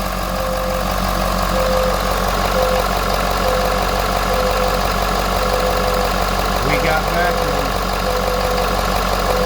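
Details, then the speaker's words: 2015 Ford F550 6.7 Powerstroke, code P245A from no vacuum, after the vacuum pump was replaced: truck just started with pump on, steady diesel idle clatter with a faint on-off whine and no knocks; normal idle, vacuum restored. "Okay, just started the truck, pumps on."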